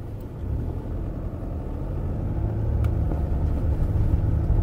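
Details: 2005–2015 Toyota Hilux/SW4 driving after brake pedal play repair: steady low road rumble with no knocks or clunks from the pedal area; pedal quiet and tight.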